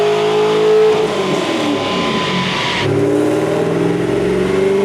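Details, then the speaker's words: C5 Corvette V8 with eBay intake, LG long-tube headers and Hooker Blackheart catback, full-power dyno pull on a new tune with MSD 2-step off; strong clean roar, no misses or pops; healthy, about 339 hp and 374 torque. "We're gonna do a full pull. We turned off the MSD box. Shouldn't be any flames this time, so we're just gonna see max power. So far, so good."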